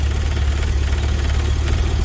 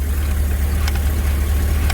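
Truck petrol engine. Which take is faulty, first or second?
first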